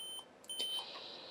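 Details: Dell 17R 7220 laptop powered on after swapping in different 16 GB RAM: short high electronic beep instead of normal start, pointing to incompatible memory; it runs with the 8 GB module, more RAM needed.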